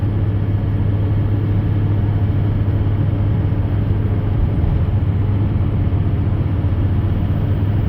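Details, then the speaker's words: Truck at about 65 mph after replacing inner and outer rear wheel bearings; steady, even road roar with low tire drone, slight tire harmonic near 60, no growl or rumble; bearings sound normal. "doing about 65 right now and it uh it feels pretty good so obviously the wheel bearings are good to go now"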